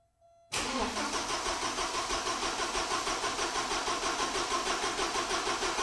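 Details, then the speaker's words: 1986 Porsche 944 after fuel injector work, battery just reconnected: steady, unbroken starter cranking at about three beats a second. It fired for a second once, then showed no signs of firing; the pulled spark plug was dry. Crank no start. "as you guys just saw when I was cranking it it did fire for a second and then from then on all the cranking was just that cranking no signs of firing at all"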